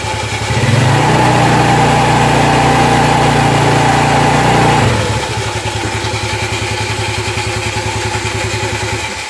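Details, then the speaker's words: Automatic scooter CVT test: engine revved with rear brake held, steady firm drone without screaming or flaring, clutch grabs cleanly; normal CVT clutch engagement, since roaring would indicate a faulty clutch lining. "jika digas seperti barusan berarti itu normal jelasnya itu tidak Meraung nge-rap gitu rodanya belum berp"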